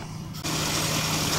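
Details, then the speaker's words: 2002 Nissan Xterra 3.3 after fuel pump replacement, driven about 20 minutes: the engine pulls smooth and even under road and wind noise, no stumble or surging; normal running. "so you've been riding for about 20 minutes and she sounds good"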